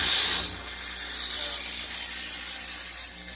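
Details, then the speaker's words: Boyuu A9 tube integrated amp on first sound check with six-ohm speakers and volume low: tubes glow, then a loud steady high-pitched squeal and howl with a fainter second tone over hiss through the speakers, worse on the right channel; cause unconfirmed. "you get glowing tubes but as soon as it starts to ramp up you hear this god-awful squealing and howling and all that stuff through the speakers"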